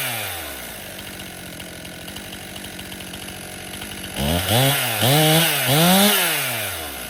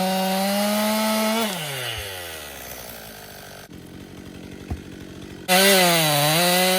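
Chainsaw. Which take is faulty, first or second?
first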